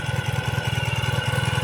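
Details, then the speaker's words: 2017 Ural cT boxer twin after a Keihin Gen2 EFI upgrade, warming up with a new exhaust smoking: steady, even low thump of about ten beats a second with no misses or knocks, smoothing out; normal warm-up idle. "yeah smoothing on out now sounding good"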